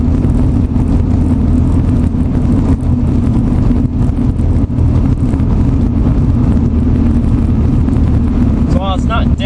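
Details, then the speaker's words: Nissan 240SX S14 with hard polyurethane bushings, driving on a bumpy road in 4th gear at 40 mph before Boom Mat sound deadening is fitted. A constant loud low road drone with small thumps over bumps; excessive cabin road noise. "I'm right now doing about 4th gear, 40 miles an hour, and this is kind of what the car sounds like."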